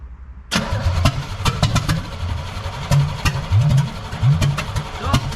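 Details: First start attempt on a recently acquired 1966 Corvette Stingray 327, choke held by hand: steady cranking with ragged firing bursts that never settle into a run. All plugs fire; owner suspects plug wires off one distributor position.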